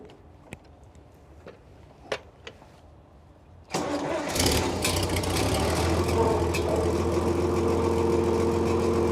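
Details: Antique tractor (1965 Farmall 656 or mid-1980s Ford 1300) started cold before hydraulic lines are disconnected. After a few quiet clicks it catches at once and settles into a steady, even idle with no knocks or misses; a healthy cold start.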